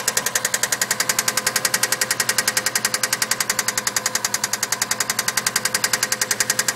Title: Part 3 subaru ej20 engine knock